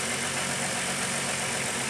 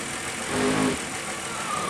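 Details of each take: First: Running engine with a vacuum port cap pulled off during an O2 sensor test; steady loud hiss over idle from the deliberate vacuum leak. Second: Car idling during O2 sensor test with propane added to force rich, sensor pegged rich and fuel trim pulling fuel: steady even idle with radiator cooling fan whirring on.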